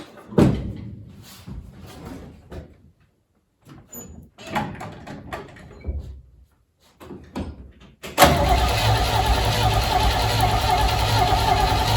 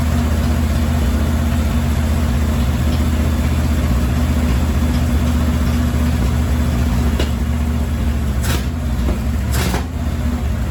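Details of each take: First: 1968 Chevy C-10, 307 V8 sat about 30 years, previously freed up: short cranking bursts then a long steady crank that never keeps running; fuel pump confirmed delivering dirty fuel, so carburetor suspected, not confirmed. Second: 1968 Chevy C-10, 307 V8 sat about 30 years, after carburetor and filter cleaned: steady even low V8 rumble with no misses, stumbles or knocks; runs and drives but smokes a lot.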